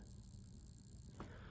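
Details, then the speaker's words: Several-years-old, heavily used hobby servo on an Arduino with 5 V supply, which once rotated 180 degrees; now only a faint steady buzz toward the low end with no motion. Owner suspects it is fried and has ordered a replacement. "however after a while now now it just makes a buzzing towards the low end and I've ordered a new servo motor"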